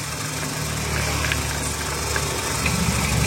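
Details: Used car engine idling during purchase check with oil filler cap opened, only oil and no smoke should come out: steady even idle, soft regular patter, no misses or knocks; normal idle.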